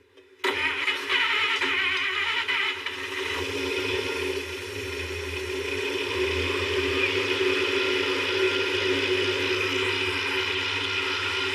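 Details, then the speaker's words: 1955 Pontiac V8 after a swap to a 2-jet carburetor with accelerator pump and a coolant fill. It fires quickly and settles to a steady, even idle with no stumbles, sounding much better; temperature and oil pressure are mid-gauge and it is charging. "Sounds so much better."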